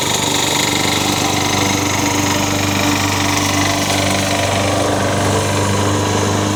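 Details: Toro single-cylinder engine swapped onto a Craftsman mower. It runs loud and steady with a faint, uneven tapping under the exhaust beat. The owner suspects an early knock is starting, not confirmed.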